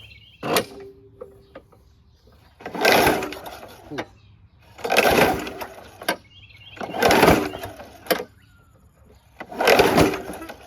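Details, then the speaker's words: WeedEater 21" push mower, Briggs & Stratton 500 Series 158cc, carb cleaner sprayed as fuel: slow laboured recoil pulls, no firing, very hard to pull over; owner suspects the flywheel brake (bale-bar ignition kill) not releasing. "It is really hard to pull over. Let's see if that flywheel brake is releasing."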